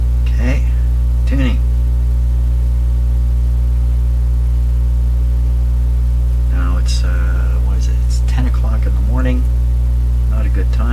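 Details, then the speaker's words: 85-year-old National HRO receiver, B+ at 175 volts after B+ switch fix: loud steady low hum, no station audio across the band; hum suspected from never-serviced power supply. "the hum is coming in pretty strong this thing can't hum on its own as far as I know there's no humm ability in here it's got to be coming from the power supply"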